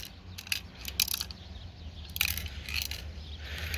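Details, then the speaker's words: Failed FICM removed from a 2004 Ford F-350 6.0 Powerstroke that dropped four cylinders: light metallic rattles and tinkling as the module is shaken, loose parts rolling inside; cracked internal coils suspected. "what's rolling around inside of there but we'll go take it apart and find out I'm guessing we're gonna see cracked coils inside of this thing start with"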